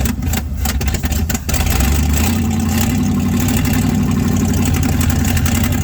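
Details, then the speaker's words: 1967 Chevrolet C50 truck sat about nine years, on choke at fast idle: loud, uneven low rumble with ragged puffing beat; exhaust donut gasket missing on passenger side and muffler rusted out; exhaust leak. "it sure sounds rough the donut's missing on the passenger side that's why it's so loud"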